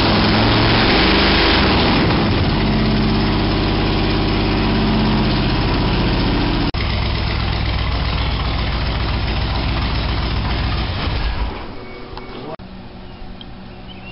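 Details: 1987 Toyota Supra MKIII with Chevrolet 350 Vortec V8 and 700R4 after rebuild; earlier backfires fixed by turning distributor cap 180° and resetting valve lash. Strong even burble settling into steady idle, no misfires or backfires: normal idle.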